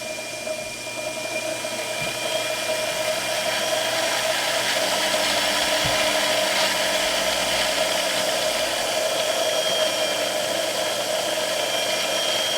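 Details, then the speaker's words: Mill spindle after conversion from gear drive to belt drive, at a setting that gave about 700 RPM before now giving about double: smooth steady whir with constant high tone and faint light ticking, no grinding; normal spindle running. "Alright, so right away, this setting used to be about 700 RPM on my old setup. You can see I'm getting about double that at the same setting."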